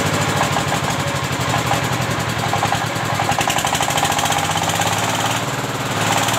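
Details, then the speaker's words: Single-cylinder S-1100 16 HP diesel for well drilling, test run after service and reassembly for surging, poor throttle response and stalling. Firm, regular thumping at a steady pace without stumbling or dying. Now stable and powerful: normal running. "sudah memasuki tahap pengujian dan suaranya sudah mulai stabil dan bertenaga."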